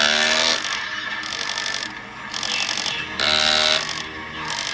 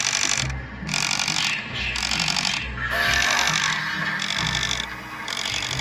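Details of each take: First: 2008 Gemmy Spirit Halloween Jason Voorhees animatronic, opened-up body turn mechanism: short bursts of high buzzy gear whine with fast rattling ticks; cracked plastic drive gear making it extremely loud, to be replaced. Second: 2008 Gemmy Jason Voorhees animatronic, mechanism after fitting a new replacement gear: even cycling whir about four times a second, no ticking; gear train meshing cleanly, much quieter than before.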